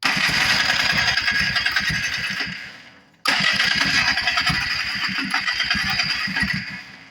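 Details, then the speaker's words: 1994 Polaris Trail Boss 250 non-runner on 40:1 or 50:1 premix, oil injection not used: two cranking bursts that chug and die; carburetor was loose on its mount and leaking gas from the bowl. "it's trying to run but uh this carburetor needs gone through I can tell it's first of all it's loose it's not even on there hardly and also we've got gas coming out of the bowl"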